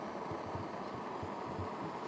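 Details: Primus pressurised kerosene (paraffin) stove just lit: steady, even roar with soft low pulses underneath; burner running properly, normal.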